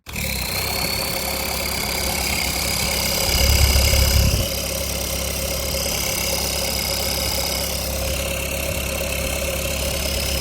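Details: Tractor diesel engine during oil pressure switch check: steady even idle with a low regular beat, no knocks or rattles; normal idle.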